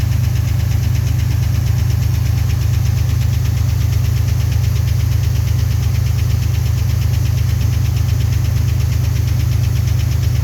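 A steady, even knock of about three per second sits over the idle and hammers on throughout; the cause is not yet known.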